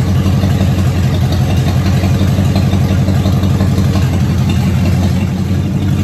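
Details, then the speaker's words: Car first run since 2019 after new fuel pump, cleaned tank, new starter, revving: strong even low rumble, steady firing, no knocks or rattles; runs smoothly and healthy. "Well, there you have it. First time and since 2019 that anyone knows of that that car ran or alone moved on its own power."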